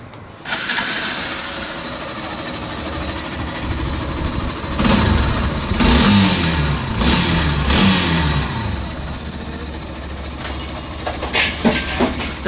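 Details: Hero Thriller motorcycle after clutch plate replacement: engine catches and settles into an even putter, picks up cleanly on a few throttle blips. Runs smooth and healthy.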